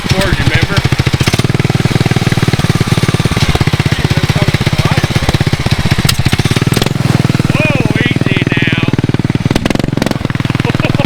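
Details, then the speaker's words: 19 hp Briggs & Stratton riding mower engine with a four-stroke 450 dirt bike carburetor, driven hard down the street, possibly in third at an estimated 45-50: loud fast even firing, no misses; runs strong, though it needs some jetting. "holy crap yeah it needs a little bit of jetting but that thing runs good holy smokes that's awesome"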